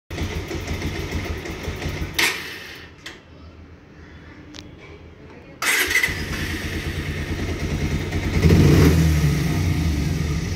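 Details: Bajaj Pulsar 125 DTSI motorcycle engine idling with a light, fairly regular tick over its low thump; the weird tick-tick noise has been present since purchase and is still unresolved after servicing, within three months of ownership.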